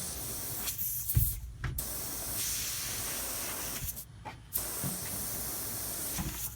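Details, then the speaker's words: HVAC system pressurised with nitrogen after being found flat: a continuous sharp hiss with a few handling knocks from a refrigerant line pinhole, caused by the compressor run wire taped against and rubbing the line. "nice pin hole caused by the run wire on the compressor they had it taped right here and so you can hear it and it was laying just like that"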